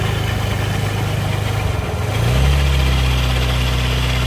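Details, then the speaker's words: Suzuki Nex scooter before CVT teardown: engine even at idle, then a deeper rough, snoring growl from the CVT swells and holds as the throttle opens. "nah seperti itu suaranya jadi suaranya itu seperti itu ngorok pokoknya ketika posisi gas ditarik tapi posisi langsam itu mesin halus"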